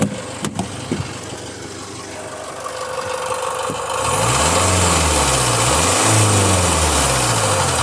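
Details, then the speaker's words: Jaguar F-Pace 204DTD diesel after owner's rebuild, injector sound deadening not fitted: starts and settles to steady, fairly loud idle clatter, even, no knocks or misses; loud inside the car, but owner judges it normal and running great. "so it doesn't sound terrible there but it's quite loud inside the car which is surprising"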